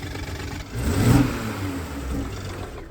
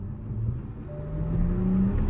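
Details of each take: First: Toyota Supra carbon fiber edition rebuilt after being deemed unrepairable, revved from a rough idle to show blowby: quick rise and fall with chuffing breathiness; bad ring seals pushing heavy blowby and pure oil out the top. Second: Rebuilt Toyota Supra with torn-down engine and recoding, first drive after repair: deep, clean pull with rising tone as revs climb and turbos whoosh, no stumble, rattle or smoke; healthy engine.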